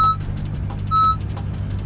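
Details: 2015 Honda Accord, started with the key fob: repeated high electronic beeps about once a second over a low idle. The car is warning that the key fob battery is low and needs replacing.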